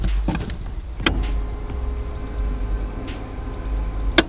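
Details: Turbo CG6 Honda Accord with DeatschWerks fuel pump and newly installed relay kit, pump cycled after priming: steady faint electric hum over a low rumble with a couple of sharp clicks; pump running normally, wires not hot, relay cool.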